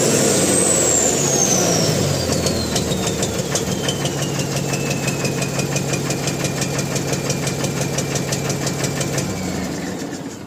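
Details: Mahindra Blazo BS4 diesel truck with black smoke: loud diesel with a sharp, regular knock about three times a second over the running engine; abnormal knocking, cause undetermined.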